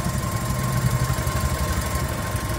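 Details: VW Polo after fixing code P1290 engine coolant temperature and clearing faults, radiator fan now stopped; low steady idle with even rumble, no radiator fan whirring. Normal idle.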